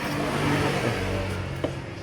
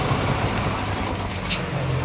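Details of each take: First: Kawasaki Boxer 150 whose original CDI failed, previous owner fitted a 4-pin CDI; engine runs but revs unevenly with a rough, stumbling note, weak pickup and a noise from the engine; misfire from incorrect CDI ignition timing. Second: Kawasaki Boxer 150 whose original CDI failed, converted to a 4-pin CDI with the pulser ground cut and an extra wire added; cold start on one kick, then steady idle like stock with clean throttle blips; normal running.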